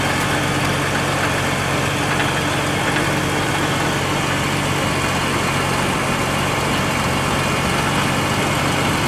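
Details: Ford Taurus at idle, recorded under the car: fine continuous buzzing rattle over low hum on startup; not heard in engine bay, owner suspects exhaust but unsure; rattling noise at idle.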